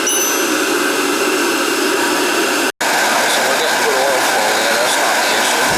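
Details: Riello oil burner on a direct-fired oil boiler that will not fire, with terminals 5–6 jumped for a call for heat. Steady motor and fan hum with no flame roar, so it never lights. A nozzle problem or carbon on the head is suspected, unconfirmed.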